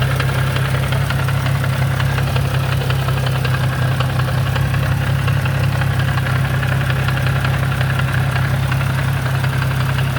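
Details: Nissan G35 coupe with 6-speed manual at low rumbling idle: faint repeating knock about three per second in neutral, goes away in gear, worse with windows fully up; cause unknown.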